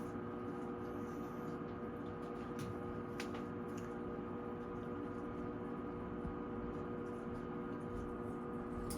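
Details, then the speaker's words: Furnace with humidifier, heater turned on and humidifier control in test mode to open solenoid valve; quiet steady hum, faint whine and smooth air rush; normal blower running. "All right, now that this is working, I'm going to turn the heater on, and then once I do that, I'll be able to come to the control, put in test, and the solenoid is gonna open, and then the water should start dripping here. It's gonna be noisy, so bear with me."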